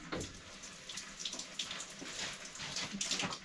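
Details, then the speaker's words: Cold feed from an old loft tank on a one-pipe heating system being refilled, after pipework repair: thin, uneven splashing trickle, no steady gush, picking up after bashing the pipe; restricted flow from a partly blocked cold feed. "bit more bash this cold Fe and see if we get any more out of it oh there you go you can hear it coming now"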